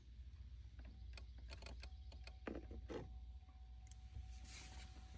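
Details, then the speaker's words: Truck door with no power, tested by jumping a fuse-panel wire to ground: sharp relay clicks over a low idle rumble plus the door-open warning tone, confirming the broken ground wire in the door boot is the fault. "can hear it was clicking over here, and I have the sound from the vehicle saying that the door is open."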